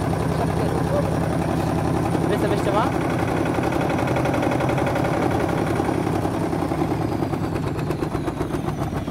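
Heavy rapid thumping about three or four a second with a steady rumble, the drum banging the cabinet from a badly unbalanced spin load.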